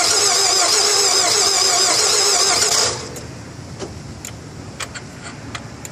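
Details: 2002 Nissan Altima after battery change: starter spins the engine steadily for about three seconds but it never catches; cranks but won't start, cause unknown.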